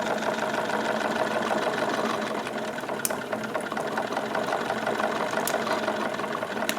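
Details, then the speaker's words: Wilesco D22 model steam engine just started, cylinders warming and clearing condensed water: light quick chuffing with soft patter and occasional tick at a happy running speed; normal running. "nice right here is a pretty happy running speed for it and the uh speed will continue to increase by itself a little bit as things come up to temperature"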